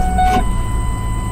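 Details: 2000 Ford Expedition 4.6 V8, roughly 30-40,000 miles, which stalls only in drive (transmission suspected): steady low idle in reverse with brief chime tone over it, holding even without dipping or stalling.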